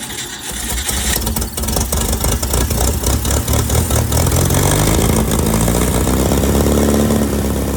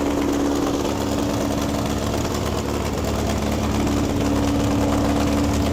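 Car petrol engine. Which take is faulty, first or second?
first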